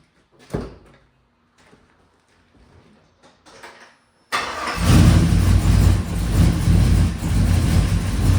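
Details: Freshly swapped V8 truck engine with stage 3 cam, just after first fire-up: a few clicks, then it catches and revs with an uneven, stumbling beat instead of a clean climb; sounds like a miss when revved, running very rich, cause unconfirmed.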